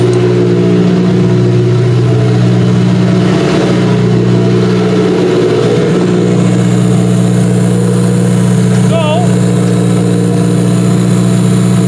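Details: Demolition derby car running after its first start since end of September (now February), newly fitted computer and fuel lines: smooth, even running with a steady low hum and one brief rev, then settles back; healthy.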